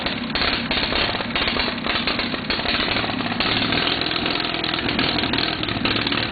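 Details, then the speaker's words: Case 646 engine that runs fine after setting the points gap to 0.020 but starts running crummy partway through a later run; chugs with an uneven, stumbling beat and inconsistent pulses, cause not evident. "she'll run good, and all of a sudden she'll start running crummy kind of halfway through."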